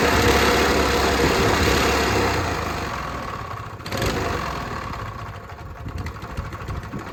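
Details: Curbside-found Honda GX160 single-cylinder engine, first start in ownership, oil topped up and fresh gas: catches on one pull and settles into a quick, fairly even putter; engine starts and runs.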